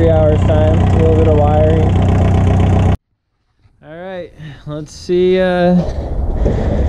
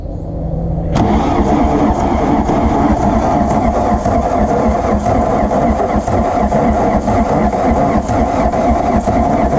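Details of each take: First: 1981 Volkswagen Rabbit diesel that had not run in 15-18 years, revived in about two hours: steady, even diesel clatter at idle for a few seconds, no misses or knocks, then shuts off; healthy idle. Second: Diesel VW Rabbit truck sitting about 17 years, fuel pumps just primed. Long, uneven starter churning at roughly four turns a second with no catch yet: prolonged cranking without starting.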